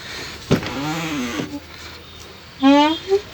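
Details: Mitsubishi Pajero doors before greasing: dry hinges give a drawn-out wavering squeak and creak each time the door swings, fixed by applying Waxpol grease to the door joints.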